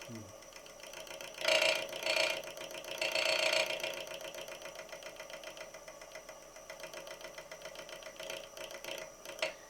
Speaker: if you drop the tool handle down, what will happen is initially you will only get the bevel rubbing and the heel, and you'll hear it chattering.